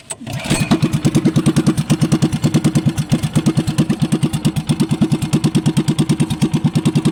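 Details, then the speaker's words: Small boat engine started after cleaning and light oiling against rust; catches at once and settles into a steady, even chug of about three beats a second with no misses, running normally. "Yan mga idol no, paandarin natin. Bali maingay dito mga idol no, kasi may nagpapawerso."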